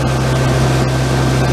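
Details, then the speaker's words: Generator engine with replacement oil-bath air cleaner and exhaust elbow, carburetor cleaned and float readjusted, set to 120 V AC, water temperature under 100 degrees: loud steady high-pitched drone with no hunting, reading above 63 amps, so the governor needs turning down. "So I'll have to tune it down."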